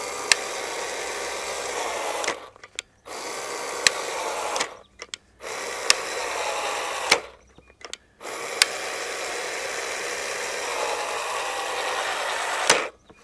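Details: Craftsman V20 CMCE600B cordless caulking gun dispensing waterproof sealant: the motor whirs in short bursts with sharp clicks every second or two, and the drive gears pop or skip while running in.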